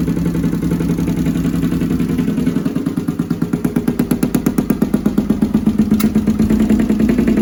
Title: CX500 || mikuni carbs right cylinder misfire